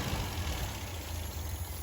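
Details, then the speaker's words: 1974 MGB with a rebuilt engine, slightly cooled and warming up, revved unloaded to about 3000 rpm: clean, even, crisp note with no stumbling or popping; healthy free revving. "thing sounds amazing so as you just saw i don't want to rev it up too much because i mean free ranging free revving an engine without any load on it is actually very bad for it"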